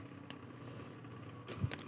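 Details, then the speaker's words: NUX MFX 10 effects pedal with faulty power adaptor and faulty input circuit; low steady buzz-hum persists even with volume turned down, running on the owner's adaptor after capacitors were replaced; hum suspected from the adaptor. "Nah, ini dengung ya. Dungongnya saya buka setengah ini. Dengung. Nah, kita kecilkan juga masih dengung."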